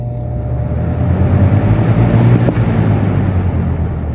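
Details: 2006-2007 Lasko 3733 box fan running on medium; low steady hum with soft even airy rush, no ticking, rubbing or wobble; runs smoothly.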